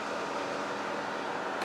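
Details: 2019 Polaris Sportsman 1000XP that was overheating on trails, after swapping in a 15 A resettable circuit breaker for the suspected bad 20 A breaker. The radiator fan now runs with a steady, even, airy whir and no ticking, rubbing or wobble: normal fan operation.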